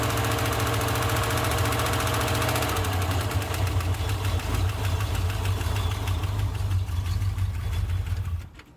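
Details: 1991 Jeep Grand Wagoneer, AMC 360 V8, cold start at idle with belts removed to rule out accessories: steady low rumble with a faint, loose knock riding on top; engine knock.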